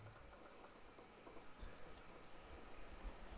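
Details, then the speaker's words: Sunsun HW-5000 canister filter with an airlock, which makes it run hot: dull, uneven low thumps a few times a second over a faint pump hum. The airlock usually clears on its own. Airlock knocking. "This canister filter gets an airlock in it, and like basically It gets pretty hot actually. I usually just leave it and it ends up getting rid of the airlock, but that's what that knocking noise is, if you can hear it."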